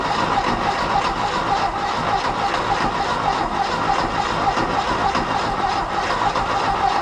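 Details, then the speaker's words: 1969 VW Fastback sitting 19 years, gas squirted into intake: starter churns with steady rhythmic whir, never fires; long no-start crank, starter rested to avoid overheating. "you know how bad I want to keep going but I know I'm going to cook the starter we'll let it cool down we'll do it again"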